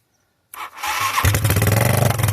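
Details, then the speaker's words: 1986 Yamaha YFM Moto4 200 single-cylinder ATV, first start after new cylinder, piston and rings, jump-started off a lawn mower with a nearly dead battery: brief starter churn, then it catches into a rapid, slightly uneven putter; carburetor still needs adjustment. "I got it running, boys. I got a lot of adjustments and to do, but look at that."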